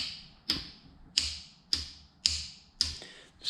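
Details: Yamaha YFZ450 ATV starter fault: six sharp, bright clicks, about two per second, with no cranking; the solenoid gets power and works, but the starter motor does not turn.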